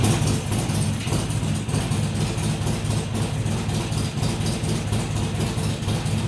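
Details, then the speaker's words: Harley-Davidson XR1200 V-twin after throttle body work and tuning changes to fix cold idle: first cold start, deep even idle with steady loping beat, no hunting, settling cleanly; tuning fixed the cold idle. "you can see there was no uh there was no hunting around it just fired up settled into an idle and didn't mess around after that"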